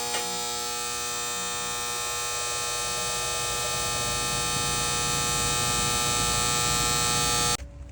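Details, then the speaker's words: Outdoor AC unit that sounded like a lawnmower: a loud, steady, harsh electrical buzz from a failing cheap plastic contactor whose coil wasn't distributing power well; fixed by replacing the contactor. "They're basically the same kind of cheap plastic one and that buzzing was from the this coil. You see the copper there. And it wasn't distributing the power well enough"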